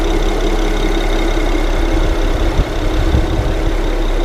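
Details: Engine just started after a plug-and-play part install; steady even low idle, smooth unchanging rumble, no knocks or misses; running normally.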